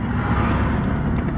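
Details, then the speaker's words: Honda Civic Si under hard throttle from a stop: deep, uneven drone with a rough, lumpy edge, fine at light throttle, started same day; owner suspects an unplugged harness connector from engine rocking; cause unknown. "And this is the sound it is making, and it's only when I like light throttle, it's fine. It's only when I get on it. Really bad when I go to take off."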